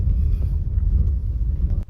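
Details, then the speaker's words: 2021 Maruti Baleno, about 12,000 km: normal ride on rough road with steady low rumble and no rear tapping; tank held little petrol when removed, so the tuk-tuk knock from the rear fuel tank (heard at half tank) was absent. "ഇപ്പോൾ നമ്മൾ അഴിച്ചപ്പോഴേ അതില് കുറച്ച് petrol ഉണ്ടായിരുന്നുള്ളൂ അതുകൊണ്ടാണ് വരുമ്പോൾ sound ഇല്ലാതിരുന്നത്"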